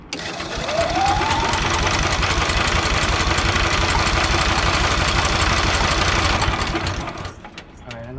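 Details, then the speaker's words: EZGO Workhorse utility golf cart repowered with Honda GX340, after relocating kill switch to dash; fast even cranking for several seconds without catching; owner suspects the switch or lack of fuel, cranks but no start. "maybe that switch ain't working uh or maybe it's not getting gas maybe i'll spray some fluid in there"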